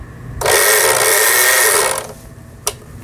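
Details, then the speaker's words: Very old Singer Merritt SR8 sewing machine, apparently unused about ten years, after repair, pedal pressed: smooth high whirr for about a second and a half as the bobbin winder spins evenly; bobbin winding works normally. "그래서 여기 이제 전원선을 꼽아서 페달을 밟게 되면 보시는 것처럼 북실이 감깁니다."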